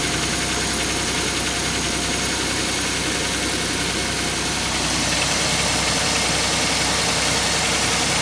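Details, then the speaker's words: 2003 Pontiac Grand Am GT after upper-end rebuild: idle with a regular uneven stumble, about three to four beats a second; engine missing at idle, check engine light flashing, cause unknown. "that's weird it wasn't doing that earlier oh great well now it's got a miss"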